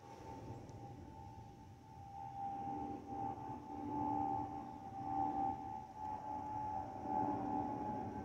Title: Delta Airlines Airbus A319-114 N351NB DL2170 LGA-DTW (FOPP whistling sound)